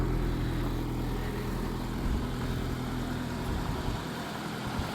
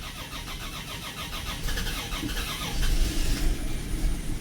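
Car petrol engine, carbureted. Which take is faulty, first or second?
second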